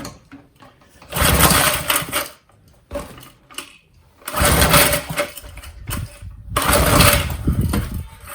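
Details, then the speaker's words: Old McLane lawn edger with Briggs and Stratton engine, pull-started with choke after fueling: three short churning bursts that die immediately, never catching; governor linkage appears disconnected; cranks but no start. "I will choke it this time. That's rubbish. Yeah, nothing really. Okay, not unexpected."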